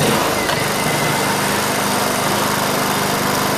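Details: Low serial number Honda EU2000i generator running on propane without a conversion kit via an adjusted regulator: steady, even speed with no surging or misses.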